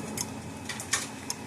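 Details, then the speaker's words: Repaired Gallagher M800 fence energizer (old orange case), about seven thousand volts, wire across ground terminal: sharp dry ticks about a second apart, steady and unchanged, lights still flashing; pulsing normally, fault fixed. "it didn't change to the lights still flashing so our issue is fixed this unit is done"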